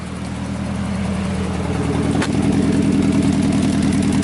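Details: 1990 Nissan 240SX drift project revived and idling cold after setting the timing: a steady idle with a faint uneven pulse and an occasional slight stumble, possibly a light misfire. Oil pressure is 56 cold but drops to about 30 warm.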